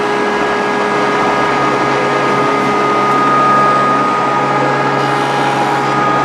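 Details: Grizzly G0458 18in open-arm drum sander, reassembled after breaking down: constant smooth motor hum, steady airy blower rush and even tones, no knocking or grinding; motor running healthy.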